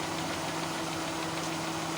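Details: Kia Pride carbureted engine: uneven, clattery, rattly idle with no steady beat. Rough idle, cause not pinned down.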